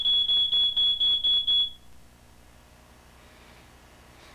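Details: Smoke detector, reportedly made in 1979, battery suspected dying: shrill high beep repeating about twice a second for a few seconds, then stops; low-battery chirp.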